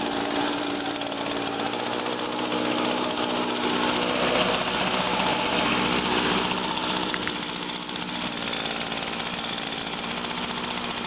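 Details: 2009 Echo PB 251 25.4cc handheld leaf blower, owned over two years, started first pull, holds a steady high buzz with an even fast firing beat, no misses or surging; normal running.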